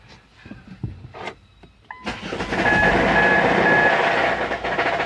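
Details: Ford Mondeo 4 2.0 diesel with automatic: starts and revs with a steady knock about four per second, from a cracked flexplate (torque converter drive plate); also whined on acceleration.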